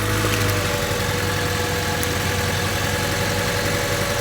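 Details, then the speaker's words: Honda Civic: engine idles with an uneven, lumpy pulse and slight shake rather than a smooth steady beat; rough idle, cause not yet found, with plugs, wires, distributor and rotor suggested as checks. "running rough [Music] that's your first place to check if you are running rough first place"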